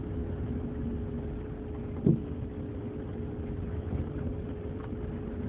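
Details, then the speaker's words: 2003 Envoy turning right: a single sharp pop from the passenger-side front suspension over cabin and road hum, felt as a knock under the feet; left turns usually don't clunk. "heard one pop. Going over some potholes. Clunking."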